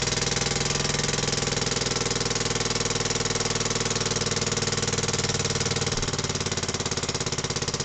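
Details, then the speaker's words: Barford Atom with Villiers Mk10 two-stroke, new piston rings, cold first start on choke: even single-cylinder putter about three beats a second, no knocks or misses; some smoke on first runs. "Yep, she's going through. Heard that little cough there."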